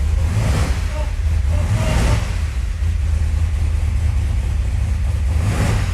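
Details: 1981 Chevrolet Camaro Z28 V8 after 15 years dormant, restored with new pushrods and fresh oil, throttle pedal now hooked up: deep rumble through quick throttle blips, settling back evenly; runs clean.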